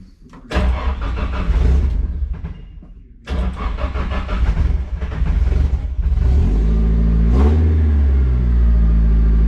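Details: Nissan S14 with SR20 engine, a couple of cranking bursts, then it catches and settles into a steady, even idle with no knocks or misses; first start after gearbox work to cure noises.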